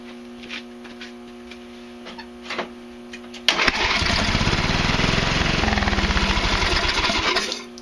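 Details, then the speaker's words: Craftsman Hydromatic with a 15.5 hp Briggs & Stratton OHV engine, crankcase heavily overfilled with oil: it catches and runs about four seconds with an uneven chuff before dying. Rough running from oil overfill. "And that would be a good example of what happens when there's way too much bloody oil in the system."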